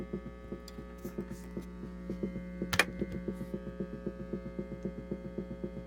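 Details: Vintage NDK Automatic Rhythmer drum machine (same as Whippany Rhythm Master RM-10) after repair, rock rhythm playing; steady low mains hum throbs with the beat, about two pulses a second, tied to a capacitor screwed to a post grounding it to the case.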